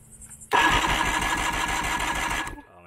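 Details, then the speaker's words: Old Johnson 90hp outboard, sat about a year, fresh plugs; steady rhythmic cranking during a compression test; that cylinder reads 120, a bit low, which might improve once it runs. "120. so that cylinder is kind of low yeah yeah it might come around once it gets actually running some"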